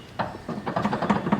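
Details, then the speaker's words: Honda Del Sol manual steering rack, worn side rocked by hand before rack replacement: dull irregular clunks about four a second as it moves up and down, other side not nearly as bad; worn steering rack clunk. "look how much it's moving up and down, and all around you can hear it clunking."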